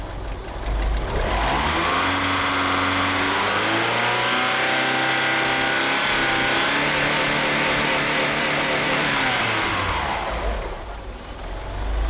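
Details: Car fitted with 850cc fuel injectors runs rough: revs up and falls back with an uneven, lumpy beat at low speed; the slipping power steering pump belt chirps faintly, and the engine won't rev up properly.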